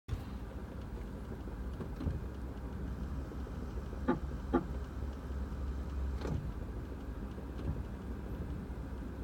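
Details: 2006 Toyota Prius: short, sharp chirps popping up irregularly over a low steady hum from the ABS brake actuator pump; may be covered by Toyota's brake actuator warranty extension.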